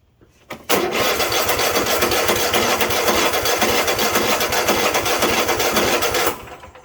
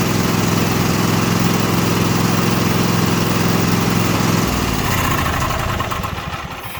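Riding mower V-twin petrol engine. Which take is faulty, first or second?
first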